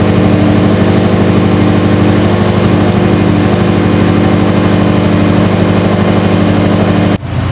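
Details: Subaru STI idling after installing a Torque Solution cylinder 4 cooling mod, warming up to temperature before burping the coolant system: steady, even low burble with no knocks or ticks; engine healthy.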